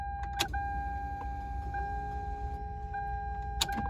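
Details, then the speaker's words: Toyota MR2 Spyder with swapped K24A TSX engine and 6-speed, rewired, before its first start: click at key-on, steady high electric hum for about three seconds, another click. Normal fuel pump priming. "get some fuel in this car first so as you can see here the fuel pump we get a couple"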